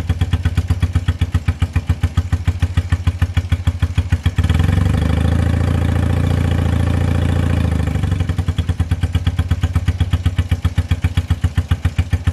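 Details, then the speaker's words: 1978 Honda CB250 Twin after valve adjustment (three of six valves off): starts, idles a little low with a slow uneven thump, responds to choke, lifts briefly on throttle then sputters and drops back; lean idle. "so the bike now starts and it idles pretty good a little bit low but it's easy to adjust it responds good to the choke but it is not like to rev as you could hear in the video whenever I tried to give it a little bit of throttle it just sputtered and it wasn't happy"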